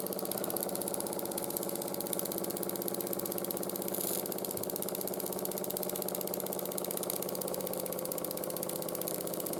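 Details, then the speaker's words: 1914 Ernst Plank 114/1 vertical steam engine, hot, after new crank pin, wrist pin and crank shims to cut side play: quick even chuffing about four beats a second with faint clunk each turn; quieter, runs happier. "it does still clunk a little bit when it's hot but it's a lot more quiet and it runs a lot happier than it was before"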